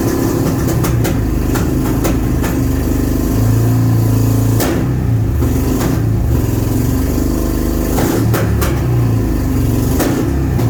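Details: Honda Shadow V-twin on its first start since 2019, after sitting with gummed carbs and stale fuel: low uneven lope with occasional small throttle blips, settling to a fairly steady idle; runs and idles.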